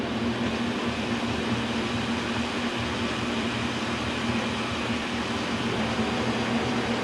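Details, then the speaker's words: K&T milling machine, first run after oil-system flush and refill with oil, slowed down from 1,500 RPM: spindle run in reverse, counterclockwise. Steady, even hum with low drone, no knocks or grinding. Normal, healthy spindle running. "I want to make sure they work. I never ran them. Let's try the spindle reverse, counterclockwise."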